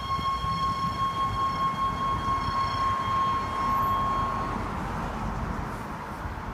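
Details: 2012 Range Rover Sport at parking-lot speeds after being driven for some time: a loud, steady high whine with ringing overtones over a low rumble while crawling, then it cuts out; cause not yet clear.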